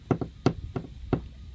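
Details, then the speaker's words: Hammer tap test on a used boat's fiberglass transom showing gel-coat crazing near the drive: hollow, dull taps with quick double-bounce hits, indicating a rotten transom core. "the next thing is the simple tap test and you can hear it sounds quite Hollow and the hammer even"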